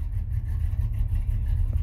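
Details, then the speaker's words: 1991 Chevy Silverado C1500, rebuilt 350 with Summit cam, newly fitted carburetor without any choke, Dynomax Super Turbo mufflers and X-pipe, cold start: deep V8 idle with a slightly uneven loping beat; rough cold-start idle from missing choke. "It idles a little weird at first because this carburetor that I just put on it doesn't have a choke, electrical or manual. So I really had to be on my game tuning it to keep it running."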